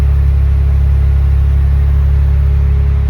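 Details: Mazda RX7 FC3S rotary after stock ECU reset and relearn fixed a rough idle: deep, steady idle with an even low throb and no hunting or stumbling; smooth and settled.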